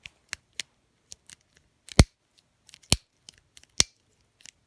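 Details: Early-1990s Shimano Deore LX 7-speed Rapid Fire thumb shifter, lever mechanism being tested during reassembly before the nut is fitted. Crisp, distinct ratchet clicks a few at a time, each indexing cleanly; mechanism working normally.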